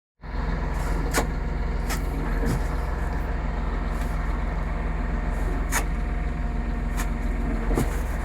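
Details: Massey Ferguson 4708 tractor: sharp, irregular gearbox clacks every second or two over a deep, even drone; dealer and manufacturer claim no defect.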